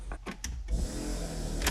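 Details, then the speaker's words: Porsche 924 Turbo, last registered 2006 and not run in about 14 years, new battery fitted: key clicks on, then a steady low electric hum and whir as the fuel pump primes normally. "we turn the key and the fuel pump kicks on"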